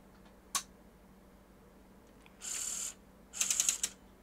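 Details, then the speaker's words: Sony Betamax Super Beta SL-HF600 (NTSC, 711B2 deck): sharp click, then two short high whirring motor runs with rattling as the loading mechanism seems to keep driving past its end stop; suspected it isn't reliably detecting the unlaced end point. "why is it doing that but it doesn't keep going it's as though it's maybe not seeing this end point reliably"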